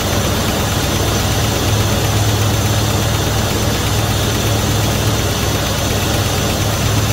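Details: 1971 Dodge Coronet police car, 4-barrel 383 big-block V8, restarted after sitting since the early 1990s, after new plugs, wires and oil change, fuel poured in float bowls: loud, steady, even burble, no misses; gauge shows 75 psi oil pressure (owner doubts reading). Normal idle.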